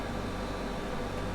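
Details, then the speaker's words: Hornby turntable converted to DCC, motor driven at full speed: a soft steady buzz and even hum with no knocks, running smoothly. The owner warns full speed may harm the turntable gears and recommends about a third speed. "i'm doing so now and you can hear really hear the motor buzzing away it's probably not going to do your turntabling gears any good"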